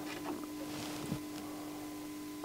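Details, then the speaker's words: NAD C520 CD player on the bench: constant low mains-transformer hum with faint higher whine and probe clicks while AC secondaries measured around 11 V and 17 V; irritating noise, cause unknown, transformer suspected. "this is making a sound irritating me who would like to have this sound"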